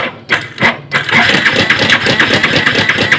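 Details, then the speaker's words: Yamaha Vixion Advance motorcycle at idle. Rough, fast metallic clatter, about three raps a second; the mechanic judges from the sound that the cam chain is at fault. "tapi kalau dari suaranya ini rantai kampratnya wis bermasalah nanti kamprat bermasalah"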